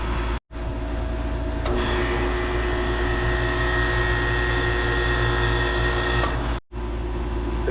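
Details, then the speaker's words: 2.5-ton home split-system AC condenser: compressor hums steadily but no fan airflow, condenser fan motor not spinning; it had made a metallic noise and spun slower than normal before failing. "Every time I turn it on, the compressor runs, but the fan doesn't work."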